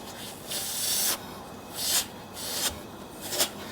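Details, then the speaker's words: BMW 335i E90 N54 engine leak-down test at 50 psi on cylinder four: steady airy hiss pulsing from the exhaust tailpipe, air leaking past an exhaust valve; cause suspected, not confirmed. "so it's definitely leaking out of there which means exhaust valve"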